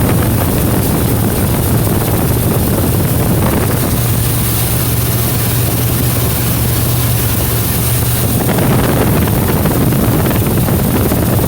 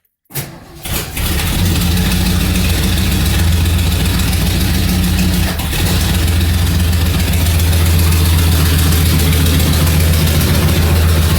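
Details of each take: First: 1977 Mercury Marquis V8 with straight-pipe exhaust running after replacing the ruptured carburetor fuel line: very loud, deep, even rumble with no misses or stumbles; no fuel leaks, runs cleanly; accelerator pump fix still pending. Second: 1977 Mercury Marquis after the leaking fuel line to the carburetor was replaced and some emission parts were removed. It cranks and catches, then idles rough and uneven, sags, and stalls after about five seconds; it will not hold idle.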